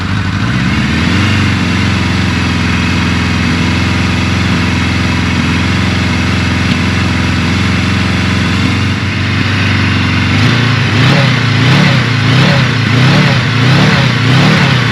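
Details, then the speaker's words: 1983 Suzuki GS1100E four-cylinder, first start in restoration with carbs refitted, new battery and fluids: smooth idle then sharp clean blips, no rattles or knocks, sounds tight; slight smoke from residual oil burning off. "I don't have any bad noises everything sounds really tight"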